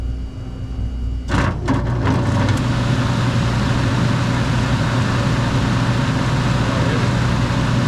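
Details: Older furnace blower, after repair on a no-heat call where the blower had locked up and would not move: door and panel clunks, then a smooth even low hum with no rubbing or knocking. Normal running.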